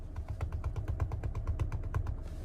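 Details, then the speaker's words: 2023 Chrysler Pacifica front end makes a quick even thumping while turning in either direction under acceleration, stopping when straight. Replicated after repair; the cause was a loose axle nut with the axle not fully seated against the hub. "when I was taking a turn in either direction you could hear a thumping noise like this and then when it straightened out it would stop and you could accelerate hard going straight but if you were turning you'd hear that thumping"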